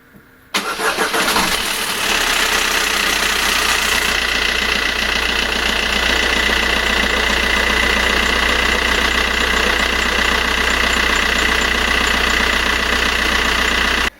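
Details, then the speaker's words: 1.3 diesel at cold start with the old timing chain: the engine catches, then fast metallic chatter rides over the idle, a stretched chain rattling. "motore a freddo, catena distribuzione vecchia"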